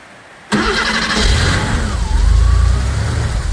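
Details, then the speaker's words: Porsche 911 3.2 Carrera after replacing the engine speed, TDC and cylinder head temperature sensors and the coil: a short crank catches at once, revs flare, then settle into a smooth, steady idle, running normally. "And now we're going to start it up. Let's see what happens. Alright, start up."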